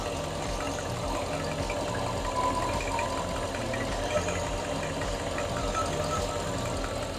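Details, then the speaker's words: 2006 Mercedes CLS55 (113k V8) just fitted with a Weistec 2.9L Whipple supercharger, idling: faint rhythmic puffing tick like an exhaust leak, traced to an aftermarket plate not sitting flush that needs modifying. "yeah it's those vrp uh these vrp um little plate so we're going to have to modify that to make it sit more flush but at least we know it's running"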